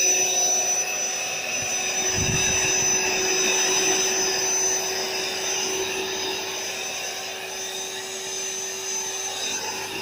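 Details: AeroBed Deluxe Raised double air bed, built-in electric pump finishing inflation, pinhole leak suspected near the bottom: steady high-pitched motor whir like a small vacuum, even tone; pump inflating normally.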